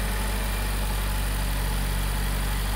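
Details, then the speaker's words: Subaru WRX boxer engine after short block replacement for lower-end knock: smooth, even low idle with steady burble and no knocking or ticking; engine running healthy after repair. "now we got it running it sounds pretty darn good I think we're going to make this client happy get their engine running back the way it's supposed to"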